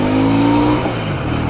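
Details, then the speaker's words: Honda Shadow 125 motorcycle on its first ride after sitting two years: smooth, even engine note that pulls up cleanly and eases off, with no misses, knocks or rattles. The engine is running healthy. "Bon, déjà le moteur tourne bien."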